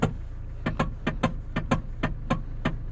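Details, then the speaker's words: Hyundai ix20 with EPS warning light on and long-standing steering column clunk: sharp light knocks, about three a second in uneven pairs, over a faint hum, from worn rubber coupler gear in the electric power steering column. "La cliente se plaint que le témoin s'est allumé et que depuis longtemps, elle entend un claquement au niveau de la colonne de direction."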